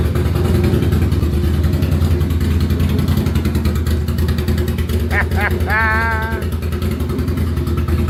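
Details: Ducati Monster 695 café racer, first start after rewiring, new ignition coils and HT leads: deep, loud, lumpy V-twin beat through open pipes, revving cleanly and settling back; runs properly, exhaust likely needs more baffling.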